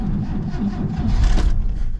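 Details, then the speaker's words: 1967 C10 pickup being revived after a storm-felled pine tree hit its carport, with gas in the tank. Low, uneven cranking with a few ragged catches that swell and fade but never pick up. It cranks without starting, cause unconfirmed. "Ugh. Of all the times for it not to start, I mean, we got gas in there."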